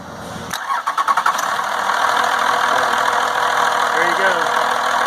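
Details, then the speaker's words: Dodge 12-valve Cummins diesel after P7100 injection pump removal and replacement: a few quick cranking bursts, catches right away and settles to a steady, even idle with no stumble; timing right on, starts and runs clean. "That timing right on the money."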